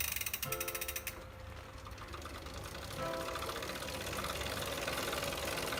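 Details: Tacx Flux smart trainer spinning: rough, irregular mechanical grinding with ratchety clicks about four times a second; source unclear.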